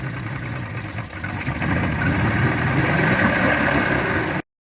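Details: Yamaha 225 hp outboard at its first start after JB Weld epoxy repair of holes in the block between cylinders 5 and 6, in neutral with extra break-in oil: rough-edged putter settling to an even idle.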